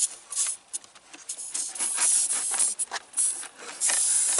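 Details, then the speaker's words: Hissing compressed air leak from a loose air line fitting behind an upper dash panel of a big truck; sharp high airy hiss surging and easing, line later released by pushing the collar. "I think you can hear that hissing right there"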